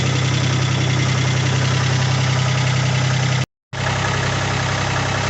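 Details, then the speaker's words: 1980 Kubota diesel tractor with loader, warming up at idle: steady, even diesel clatter with a solid low thrum, no misses or knocks beyond normal diesel rattle; runs healthy. "there it runs it sounds good nice the nice little diesel motor"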